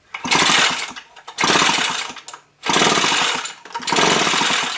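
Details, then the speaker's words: Echo leaf blower with a bad ignition coil, coil unplugged and tested with a spark light: four long pull-cord rasps, each about a second, engine never catches; no spark at all, coil to be replaced. "See, there is no spark at all."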